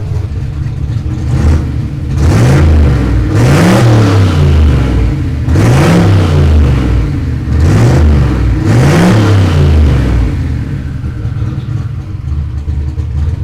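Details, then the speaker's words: Turbo Fox Body Mustang V8 first start after turbo install, warming up with exhaust cutout opened: deep, loud revs rising and falling about every 1.5 seconds, clean pickup and return to idle; healthy, though an oil leak found at homemade T fitting. "I opened up the cutout. It's so much better. That's how it should sound."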